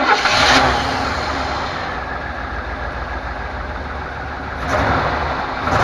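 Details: 1998 Chevrolet Suburban K1500, 5.7L V8, 4L60E automatic, 177k miles, in 2WD: steady idle with a heavy clunk each shift between park and drive; cause unknown, sometimes clicks driving uphill.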